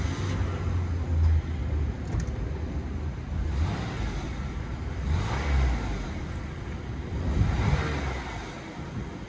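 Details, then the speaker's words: 2005 Lexus RX330 revved hard after its exhaust leak was fixed with a new gasket and new bolts: a deep, even rumble with no puffing or ticking, and power back to normal; normal exhaust note. "he fixed my exhaust new gasket and that's pretty much what the where the leak was coming from and uh as you can hear Let Me floor it it's quiet"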